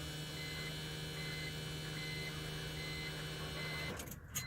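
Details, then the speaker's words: 2001 BMW 330Ci E46 coupe that would not start or died as if out of fuel, after installing a new eBay fuel pump under the back seat: key to accessory gives a steady electric whine and faint buzz for about four seconds, absent before; normal priming. "Like, you can hear that buzzing. I'm gonna close that door so crows. So yeah, listen to this buzzing sound now. That sound was not coming before."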